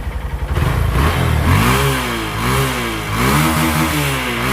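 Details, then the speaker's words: Honda Verza that would not start and hesitated on throttle, after a TPS sensor error was cleared: engine picks up cleanly on each throttle blip, revs rise and fall smoothly with no stumble; throttle response normal. "Dan untuk gasnya itu enak. Jadi, begitu hidup kita tarik gas kayak gini langsung respon ya."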